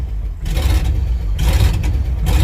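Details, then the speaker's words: International truck V8, freshly rebuilt, January cold start, carbon-core plug wires suspected: low idle that surges and sags roughly every second, loping; carburettor needs minor adjustment, engine far from temperature. "I do need to make some minor adjustments on the carburetor"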